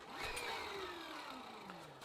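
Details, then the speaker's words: 1987 Gazelle bike with Sturmey Archer Elite AT 5-speed hub and repaired Basta dynamo, readjusted to stop fender rub; smooth whirring whine falling in pitch as the wheel coasts in reverse; bumpy tire probably wobbles dynamo. "And now when cycling forward. Sounds better. There are less rattling noises although... it's not perfect."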